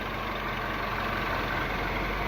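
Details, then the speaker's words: Peugeot 3008 THP petrol engine, parked two years, after repair of out-of-time timing (code P0012) and deep tappet knock: smooth, even, calm idle hum with no ticking or diesel-like clatter; normal idle. "o carrinho bem Sereno som de thp mesmo não são de dizer"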